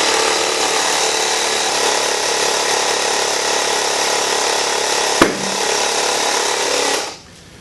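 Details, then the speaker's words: Tubeless motorcycle tire being inflated toward about 20 psi, with air hissing from a partly unsealed sidewall: a steady rush of air, then one sharp loud pop near five seconds as the second bead seats onto the rim. Both beads are now properly seated. "That loud sound you just heard was the second sidewall popping into place. The first one went quickly before we actually started the camera, so you didn't get to hear both of them. But what that tells me is both beads have been set or seated properly on the rim"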